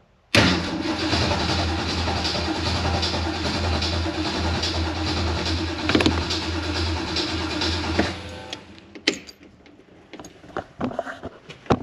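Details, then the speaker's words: 393 cubic inch V8 on first start attempt after Holley Sniper EFI conversion, fuel pump primed; about eight seconds of even cranking with no firing; crank no start because the coil wire was not installed. "just remembered it might help if we put a coil wire on it"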